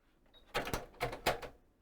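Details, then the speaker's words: Panasonic RX-DS303 portable stereo CD system, auto-reverse cassette deck: on play the mechanism gives three sharp clunks within a second with no steady tape run and spools barely turning; cause was a broken cog wheel (drive gear). "we put a tape in and we press play it just goes couldn't dunk the tapes do spin slightly"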